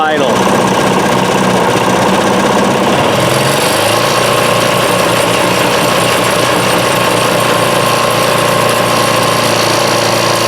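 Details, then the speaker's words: DR PowerWagon dump cart re-powered with a 1992 5HP Briggs engine, trigger throttle with added return spring: picks up sharply to steady full throttle and holds evenly, returning to low idle on release; normal throttle response. "pull on the wire, I release the tension on that idler pulley, and perhaps the belt will be loose enough that it wouldn't spin."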